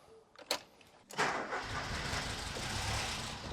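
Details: Ford Escort Cabrio XR3i after fitting a new relay: a couple of cranking thumps, then a brief rough catch that won't keep running; owner thinks it runs only on the cold-start injector with no fuel pressure at the distributor.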